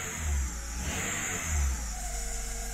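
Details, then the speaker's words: Petrol engine running: thin, steady high-pitched screech over the low engine rumble from the drive belt, which is to be replaced. "you can hear that screeching noise that's the belt that's what's gonna get replaced"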